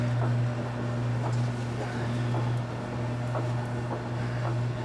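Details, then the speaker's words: Mason & Hamlin Welte player piano, wind (bellows) motor running while playing a roll: loud steady low hum with soft pumping pulses about once a second; noisy electric motor hum, a DC motor would be quieter. "this motor is noisy there are some General Electric Motors that are less noisy but you can hear the hum of this motor when it's playing"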